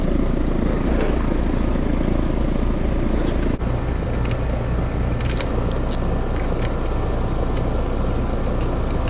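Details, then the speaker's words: Heat pump outdoor unit making a loud noise the owner reported, fan hub checked okay, cycling in and out of defrost; heavy, rough low rumble with a gritty hum from the compressor, near failure; compressor draws about 10.3 amps. "That compressor sounds a little bit rough. Going in and out of defrost okay, but I think the loud noise she's hearing is the compressor."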